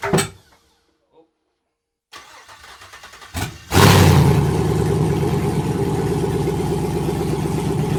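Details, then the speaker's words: Gen V L86 6.2L V8 on an engine stand, first start after the swap: brief cranking, then it catches into a steady, even idle with no misses. The second start followed a fluid spray from unconnected transmission cooler lines; it is a healthy engine. "all right she fired off but uh i forgot to hook up the transmission cooler lines so they started shooting transmission fluid everywhere but we're gonna loop that up and start it up again fire off number two"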